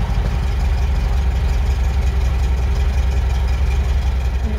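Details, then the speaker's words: MGB after carburettor overhaul, mixture and throttle synchronization set: steady, even low idle with a smooth regular beat, no misses or hunting; sounding sweeter, still needs final tweaking. "sounding a lot sweeter though."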